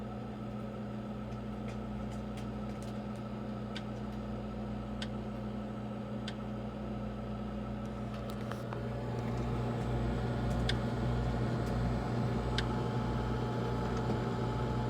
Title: Brio 740i making the same clicking sound as the last two that broke down.Don't but this ice maker